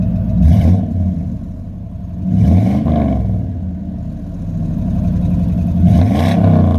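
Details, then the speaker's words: 1997 Chevy 3500 4x4 dually, 454 big-block V8, restarted once up to temperature, hood closed: smooth warm idle with three clean rev blips that rise and settle evenly; healthy, no knock or tick. "so what we'll do is we'll uh close the hood on this uh we'll we'll crank it back up and uh give you a couple revs on the way out uh now that it's up to temperature"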